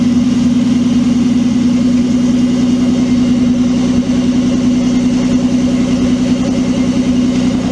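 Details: Twin-turbo Mitsubishi Triton, 3.0L 6G72 V6, new ECU, in 40° heat: steady, even idle with a smooth firing beat and no knocks or misses; engine runs clean and healthy.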